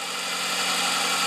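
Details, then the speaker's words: Vehicle started after three months stored in garage, battery terminal just tightened: smooth idle with faint steady high alternator whine, charging about 13–14 volts; normal alternator whine. "now let's see what it's charging at you can hear the alternator kind of whine it"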